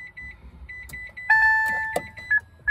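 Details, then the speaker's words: 2012 Mitsubishi i-MiEV electric car, 83,000 miles, after battery pack replacement with parts-car pack, 12V battery at 12.28 V: short high beeps then longer two-tone chime as it powers up; normal ready signal. "So I'm gonna try to start it up, see what happens. It's beeping, that's a good sign."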